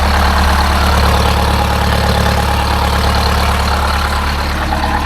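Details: Detroit Diesel 8V-71 two-stroke idling after the old starter was replaced with a new one (part 6924N): steady, even idle with a smooth low drone, no knocks or misses; running healthy.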